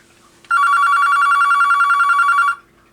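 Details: Vintage two-line Panasonic KX-TS25-W telephone tested on line 2. Two seconds of fast, even warbling electronic trill with steady pitch and rhythm: normal ringer operation.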